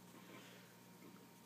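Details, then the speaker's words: Packard Bell Legend 3450 vintage PC with replacement Western Digital hard drive, fanless CPU and quiet power supply fan: very quiet steady low hum with faint thin whine, no clicks or rattles; hard drive spinning normally. "one thing I'm impressed with so far this Packer Bell is how quiet it is I would have thought a computer from this era would have been a little bit louder but all you but the power supply fan is quiet there's no CPU fan the only thing you can really hear any is the hard drive"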